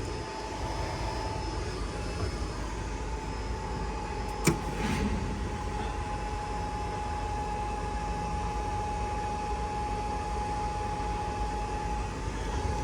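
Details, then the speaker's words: Toshiba Q9 HVAC drive after its cooling fans were replaced and power was restored: a steady airy whir with a constant mid-pitched hum and one brief click, no rubbing or ticking; the new fans run normally. "Sounds like we got fans. Feels like we got fans."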